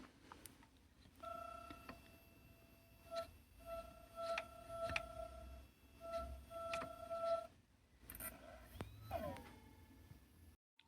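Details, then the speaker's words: Stripped SATA hard drive with controller board, read/write heads removed, platter refitted: thin mid-pitched whine starting and stopping in roughly one-second bursts with clicks between; spindle motor fails to spin up. "so let's see if it spins-up now. Oh, it's definitely not happy."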